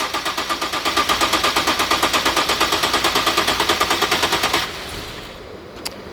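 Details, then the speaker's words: 2013 Nissan 370Z, 151k km, after coolant leak repair and new fan: fast even starter cranking about seven beats a second for over four seconds, never catches; no-start, owner says it needs a tune, cause unconfirmed. "Leave it. Leave it. Leave it. You're not going to start. Leave it. Turn it off. Ignition off. It won't going to start. They need to tune it."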